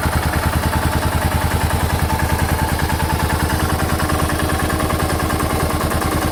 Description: Big single engine knock from piston slap on my 2006 Suzuki S40 Boulevard /LS650 /Savage 650cc motorcycle at just shy of 4,000 miles.